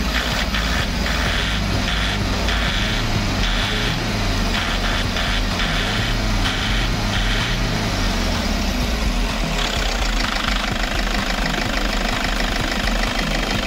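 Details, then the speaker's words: 2007 Toyota Hiace 2KD-FTV 2.5 diesel after an oil change with Toyota Genuine oil, run continuously about 20 minutes with temperature gauge still low: steady, even diesel idle clatter, no misses or knocks, unchanged sound; normal healthy idle. "So, ganito ang andar nito mga paps pagkatapos kong mag-change oil. Ganitong-ganito pa rin ang tunog niya at walang pagbabago simula noon."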